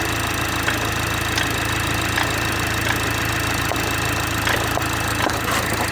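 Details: BMW 430i xDrive, B46/48 four-cylinder, cold start in cold weather: light, irregular ticks and taps about one a second over a steady idle hum. Source unclear.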